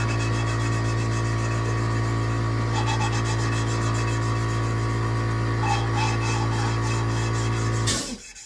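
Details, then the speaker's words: Hand-lapping a valve on a Gen V LT4 cylinder head (2017 Corvette Z07 build) with compound and a suction-cup tool: gritty back-and-forth rasping, about three strokes a second, seat still rough; it gets quieter and changes tone as surfaces smooth. "if you listen you'll hear the grinding and as the as the compound smooths out the surfaces you'll hear it get quieter you hear the tone change"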